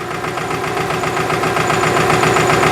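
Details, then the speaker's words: Subaru engine at steady idle, heard through a mechanic's stethoscope: a fast, even metallic clicking on one side of the front of the engine, while the middle sounds okay. "what I'm hearing when I put it on this side I'm hearing a metallic clicking over here is fine and the middle sounds okay"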